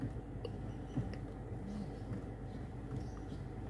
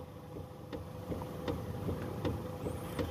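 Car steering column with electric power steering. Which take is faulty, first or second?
second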